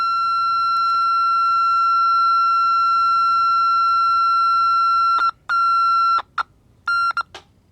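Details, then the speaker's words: Vintage Aiwa AM/FM transistor radio under repair, capacitor removed: steady high whistle rising in pitch then cutting in and out; the set is oscillating and squealing, owner suspects a shorted detector diode. "wow it's going up it's almost out of my hearing range now did I kill it"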